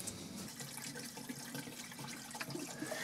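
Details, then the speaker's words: Home HVAC unit with blank thermostat, condensate drain line and trap flushed with water: steady gurgling and trickling with no backing up, drain flowing freely. "And there was probably 3/4 of this bucket. So, I'm feeling confident that's clear."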